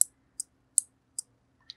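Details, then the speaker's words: 5-pin relay coil energized directly with 5 volts: crisp sharp clicks about every 0.4 s in a quiet room, relay switching cleanly; relay working normally. "so now let's energize this coil of the relay directly giving it 5 volts to see whether the relay works or not so you should hear the clicking sound like this"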